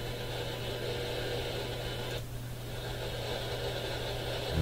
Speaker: you can still hear it, even in the quiet spots. How about right here? None of these are regular radio stations. All noise all throughout the AM radio band.